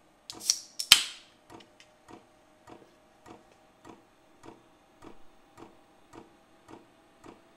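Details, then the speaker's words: Vevor 5 kW diesel parking heater on kerosene and a 12 V battery, first-ever fuel priming, taking a minute to prime. Soft steady clicks about twice a second from the dosing pump priming. Normal. "that sounded like fuel pump so that's the fuel pump priming it"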